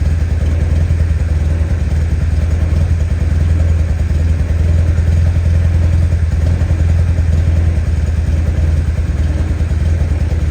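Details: Fuel-injected 1972 Honda N600 small twin on first start after conversion, chugging unevenly at low idle, beats stumbling and fading as if about to stall; timing and crank sensor checked, fuel pump sounds off, possible excessive fuel pressure suspected, unconfirmed.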